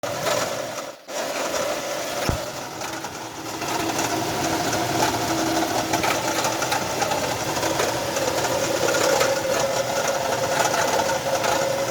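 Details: Nissan Frontier 3.3 V6 with a loud, steady whirring and rattling at idle; owner suspected the timing belt, but it was a worn alternator bearing.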